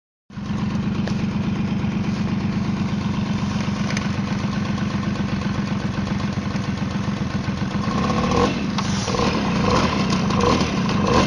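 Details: Tomos two-stroke moped starts and settles into an even buzzing idle, then revs slightly; no rattle stands out from the clutch side.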